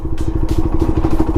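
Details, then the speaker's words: QJMotor Race 250 single-cylinder motorcycle in 5th gear, off throttle and rolling at idle: uneven thumping and judder at too-low revs; rider slips the clutch and downshifts. "然后开始到这会开始顿，这个没办法，它单缸给点离合，然后降个档。"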